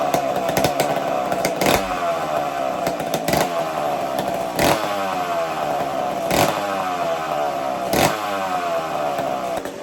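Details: McCulloch two-stroke chainsaw after starting trick, warming up: raspy buzz steady with rhythmic surge every second or so, blowing smoke; healthy, normal running while warming up.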